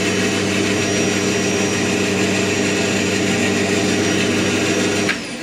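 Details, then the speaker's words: Band saw final test cut after noise, vibration and drift adjustment (chatter and vibration reduced about 20 dB, cushion isolating table): even, steady whir with no chatter or rattle until spinning down near the end; runs smoothly. "今日は伴奏奏最後のテストカットです。ビビリ音や振動音を最大限止めてみました。20デシベルほど音が下がりました。"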